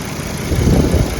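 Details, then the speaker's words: Volvo S60 with overheating complaint, idling with AC on after repairing a broken signal wire on the fan relay: airy fan rush over the engine note; cooling fan now switching on and off as it should. "there it is. Fan's working now. Turn it on and off as it should. So it ended up being that little signal wire."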